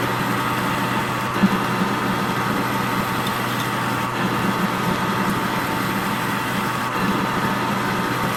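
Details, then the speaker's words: Metal lathe threading cut on a track tension spring pretensioner rod for a 35-ton excavator, with lube, slowed to 70 rpm to stop chatter; steady even hum with no rattle or squeal, a smooth chatter-free cut. "I still hear it chattering a little bit so I am going to go to 70 rpm and we'll see what that does yeah I think that's doing better I don't hear any chatter at all"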